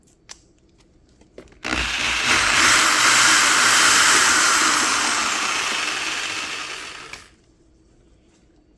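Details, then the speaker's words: Old restored Milwaukee Magnum corded drill, the working one of the pair, tested after the other quit with a gear-crunching sound: smooth, even high whir for about five seconds, then easing off, no grinding or catching; healthy motor. "see when i take this one see when i take this one over here plug this one in this one's fine"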